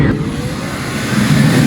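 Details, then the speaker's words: Vintage Air SureFit A/C kit #941170: ignition on, blower on high, calibration spade connector grounded with a jumper. A steady fan rush and hum steps up in speed as the controller learns its upper end. "Once that's plugged in, you can hear the fan, it changes speed. That's learning the upper end."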